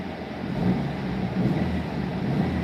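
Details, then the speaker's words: Engine at operating temperature: a deep, steady exhaust rumble with no ticking or puffing; the exhaust leak heard earlier is no longer audible now that everything is hot. "I don't even hear it anymore. Nice hot enough. Yeah, everything got hot and plugged it."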